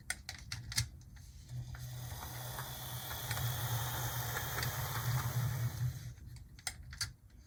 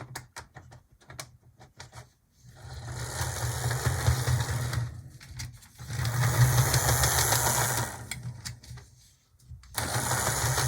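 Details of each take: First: Gulf, Mobile and Ohio Proto 2000 S1 HO switcher loco that had sat unused, a model possibly prone to cracked gears, first run on track: soft, even motor hum with light wheel clicks, no grinding or skipping; runs smoothly. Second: Older Atlas GP35 HO loco, after oiling the bearings: motor whirs in bursts with rapid ticking about three a second that follows speed; owner suspects a cracked drive gear, not gunk.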